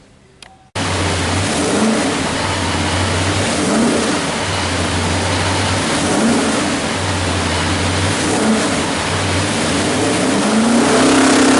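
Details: 427 cu in Ford small-block stroker crate engine (forged internals, Dart aluminum heads, Edelbrock Air Gap intake, Comp hydraulic roller cam, carbureted, MSD ignition, rated 500 hp/500 lb-ft) making a dyno pull; strong V8 pulls hard and smoothly, pitch climbing steadily under load, no knocks or misfires; healthy.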